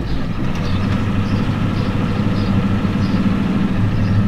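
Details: 1993 Ford F-250 7.3L IDI diesel with new injectors, restarted after days sitting: lumpy uneven idle under faint rattle, smoking heavily; injection pump confirmed out of time.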